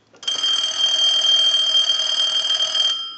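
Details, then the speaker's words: Bell South clear Lucite Trimline telephone, re-rung from a line analyzer to confirm it works anywhere: a steady, even three-second electronic ring that stops cleanly. Normal ringing. "we're going to ring it one more time we'll let it go a few times"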